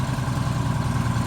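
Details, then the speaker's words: Bus diesel engine after rebuild and fuel problem fix, on road test; steady, even low rumble with no knocks, misses or squeals, plenty of power; normal running. "Plenty of power, right?"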